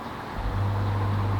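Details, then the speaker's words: Oase BioTec Premium 80000 drum filter, not working for about three months: the drive motor gives a steady low electrical hum with no turning rhythm, buzzing but not turning over and getting worse; the motor has failed. "it were working so it were buzzing but it weren't actually turning over um it just obviously kept getting worse and worse so the motors broke basically"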